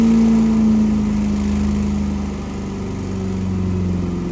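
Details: Small gasoline engine restarted after winterization (fuel stabilizer, fogging oil, battery kept above freezing): holds a steady, even full-throttle buzz with only slight speed drift and no misfires; start-up smoke pop is fogging oil burning off; healthy.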